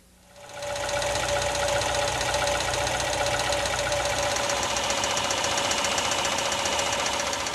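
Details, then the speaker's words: Engine at idle: sharp light metallic tapping, about four per second, over the engine hum; wrist pin knock from excessive wrist pin wear. "now let's get inside the engine to see what's causing that wrist pin knock in this case it's excessive wear that was the engine noise at idle"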